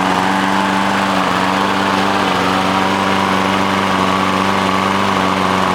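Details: Lawn mower stored outside under a tarp, new gas, fairly new air filter, no gunk in carburetor: runs a few seconds to a minute, surges up and down, then stalls; steady drone with dips; mechanic found water in the carburetor.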